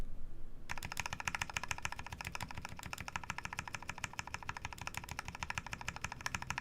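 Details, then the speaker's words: Baka60 custom mechanical keyboard: quick, even clacks from a repeatedly pressed key, clean with no rubbing or rattle from the stabilizer; earlier stabilizer housing rubbing is put down to the right shift. "actually sounds good so yeah i think this is a problem with my ride shift"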